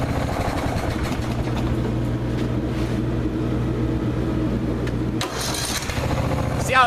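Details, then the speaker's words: Older Briggs & Stratton 16hp OHV single-cylinder engine, previously hard to crank past compression, restarted after a valve adjustment: it cranks freely, then settles into a steady thump with no rattle. It starts easily and runs quietly. "it turns over no trouble at all nice and quiet not rattling awesome"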